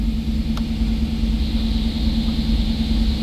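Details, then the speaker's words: 1991 "Bird" with 60,000 original miles, cold start: smooth, steady low rumble with constant hum and no knocks or misses; healthy cold idle. "We'll go ahead and fire it. Up and running as it should."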